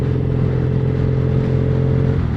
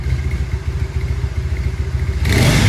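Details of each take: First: Triumph Bonneville SE 865 with D&D Predator aftermarket silencers, on the road in top gear at 45 mph: steady deep boomy exhaust drone, louder than the standard pipes. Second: Triumph Bonneville SE 865 parallel twin on stock silencers, in garage, before fitting D&D Predator silencers: even quiet idle with a soft steady pulse about three to four beats a second, sounding healthy.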